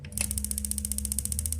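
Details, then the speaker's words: Paloma LPG gas water heater, after fixing solenoid that released too early: one sharp click as gas valve solenoid drops out about 8 seconds without flame, then steady fast ticking over a low hum; solenoid holds and releases normally. "Oke, saya pakai hitungan 1 2 3 4 5 6 7 8 sekitar itu 8 detik tidak ada api maka strum ke selin unit akan dilepas ya terdengar tadi cetuk itu berarti kembali"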